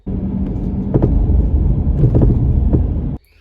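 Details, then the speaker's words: Mercedes ML W164 driving with large, sharp, irregular clunks from the front right corner over road rumble, getting progressively worse. A first repair attempt failed. "recently I had an issue with the suspension where I had a very large clunking noise on the front right hand side of the vehicle"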